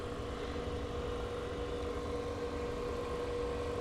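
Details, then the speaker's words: Marantz 2500 receiver, never recapped, powered through a series dim bulb at first power-up: cooling fan runs at full speed with steady constant whir, unit not coming out of protect or soft-start; cause not yet determined. "okay here comes our fan full speed can you hear that and it's not coming out of protect or I'm out of soft-start"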